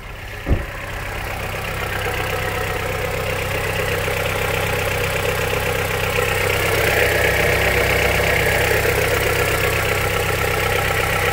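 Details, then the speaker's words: Honda CR-V 3rd gen 2.4, cold engine idling in Drive right after an oil change to thick Rolf oil plus a can of additive: a loose, fairly steady knock about 3.5 per second, loudest on one side, quiet at the wheel, still inside the engine. "стук всё равно я ещё раз говорю что стук в самом двигателе"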